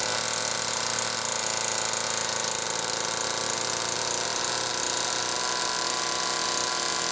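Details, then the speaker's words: XL-2 chainsaw on test run after crankcase reseal and spark plug wire repair: high, steady two-stroke buzz that won't settle, racing idle because the idle speed screw was turned almost all the way in; carb also way out of tune from the wrong circuit plate gasket. "Okay. Well, I know it was running goofy before because the idle speed screw was run almost all the way in. That's why it was racing like that."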